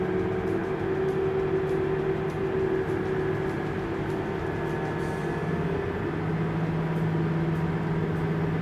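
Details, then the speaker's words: Tractor diesel pulling uphill in a wet field with about 7% slippage, geared down: a deep, heavy drone staying low and labouring with no rise in revs, around 100% engine load and burning about 30 gallons an hour. Engine lugging under heavy load. "we had to gear down there we couldn't quite make it on that hill you can hear the engine rpm is very again right around 100% engine load burning right around 30 gallons an hour"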